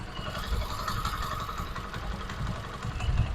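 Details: Honda CD 70 after the engine noise was fixed with a spring: a low, soft, steady putter at idle with no tapping or chain rattle. This is a healthy idle.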